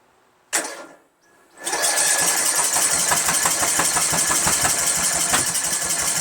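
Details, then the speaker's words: 1999 Craftsman LT1000 lawn tractor, Briggs 17.5HP, choked with fluid sprayed in: a starter clunk, then steady cranking at about three beats a second that never pops. Cranks but won't start. "Nothing. Damn, nothing. Come on, it should at least pop. Nothing. Not one thing."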